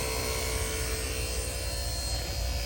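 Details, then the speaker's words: Harbor Freight Hercules cordless two-stage A/C vacuum pump (1.6 hp, 2 CFM), hooked to the low side: steady motor hum with a constant whine and no surging, pulling vacuum quickly and working normally. "Well, this little pump's doing a wonderful job."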